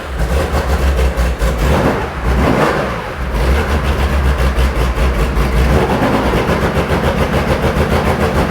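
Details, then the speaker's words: Porsche 911 2.8 RSR build on first start with a Link ECU being tuned remotely and idle set near 2000 rpm. Loud, lumpy idle with uneven pulsing and wandering revs. It runs rough; the owner plans to check individual header temperatures, cause unconfirmed. "it doesn't sound happy but it's running nope"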